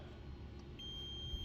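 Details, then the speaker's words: 1967 Ford Galaxie stored 35 years, multimeter continuity test on corroded ignition points: steady high beep even with points open, so old points are grounding out; new points to be tested. "so checking continuity on this points it beeps like that but when you open this up"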